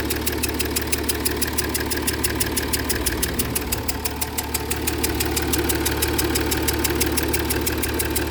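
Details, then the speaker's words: Jaguar XF S 3.0 diesel at idle with a regular tapping/chuffing that changes with revs, plus smoke under the bonnet and in the cabin. Fumes are puffing from around an injector, suggesting a combustion leak past the injector seal. "Sounds like it's coming from around the side of the injector."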